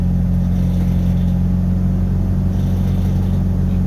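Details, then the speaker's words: Truck that idled rough with MAP sensor and EGR codes, after reconnecting the MAP sensor to the correct port: even steady low rumble at idle, no stumbles or surging; just started and running smooth. "because it just started up and it's running smooth"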